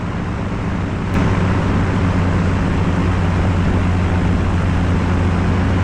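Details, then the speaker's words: Light experimental aircraft engine landing with power at a short grass strip, shortly before a later engine failure on takeoff; steady drone building RPM and revved briefly on short final, smooth with no stumbling; normal running under power. "You can hear the engine developing RPMs, and on short final, you can even hear him rev it up a little bit."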